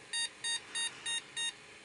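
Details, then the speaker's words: Mid-1990s PC with Intel Celeron 266 MHz that wouldn't boot, after swapping to another RAM set: five short, shrill repeating beeps about three per second, POST beep code pointing to memory fault. "so that's a good [Music] sign sounds like mors code doesn't it"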